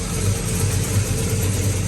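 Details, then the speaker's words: Circa-1970 Pontiac GTO V8 with new 2.5-inch aluminized exhaust, cold before reaching operating temperature: deep, steady, smooth idle with no ticking or tapping; a carburetor squirter change may follow. "let it warm up and maybe CH change the squirter on it uh but right now it's cold so let get let's get it to operating temperature she's quiet"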